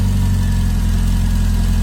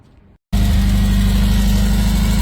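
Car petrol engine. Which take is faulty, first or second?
second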